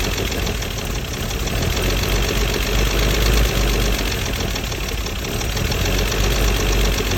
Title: W114 280ce rough idle